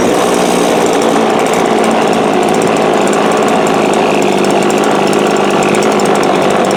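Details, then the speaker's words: 22-year-old Cub Cadet ST23 26cc straight-shaft trimmer, first start after sitting, choked: harsh uneven sluggish buzz that never settles; carb packed with debris needs rebuild, and a failed fuel tank grommet is leaking fuel. "Just try choking it, see what we get. Oh, she hit. It's trying. sluggish."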